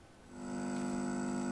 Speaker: yes and that's kind of this hum